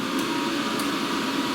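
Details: YesWelder MIG-205DS multi-process MIG welder just switched on at the back during setup: steady, smooth fan whoosh with a faint constant hum, no rattle or scraping; cooling fan running normally.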